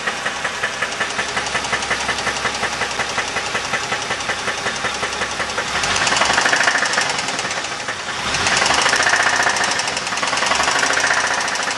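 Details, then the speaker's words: 2000 Dodge Intrepid 2.7L V6 with 144,000 miles idling with a steady, sharp metallic knock through the engine note. A compression test was done earlier. "This is the 2000 Intrepid with the engine running. We fired it up. You can hear the knocking."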